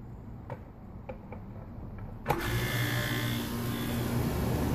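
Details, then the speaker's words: Home A/C condenser unit after replacing a bad dual run capacitor: a few clicks, a thump as it kicks on, then a steady low hum with fan rush; compressor and fan start immediately and run normally. "As you can see it start immediately . No stick is needed . No problem And now you can hear the A/C how nice it is working ."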